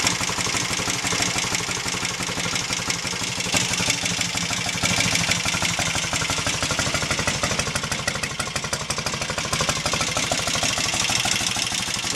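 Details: Royal Enfield Interceptor MK1 twin after carburettor adjustment (25 pilot jets, 380 mains, 106.5 needle jets, 3.5 slide cutaway): steady, even idle with quick regular beat, no spitting back or hesitation; carburation sounds clean.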